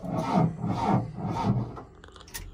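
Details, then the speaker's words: Mahindra Roxor diesel at about −11° with the standard battery, after the grid heater warms up. The starter drags the engine over slowly at about two laboured compressions a second, then quits without firing. It is too cold to start. "it will start it's just too cold and I also have to run inside my hands are getting super cold"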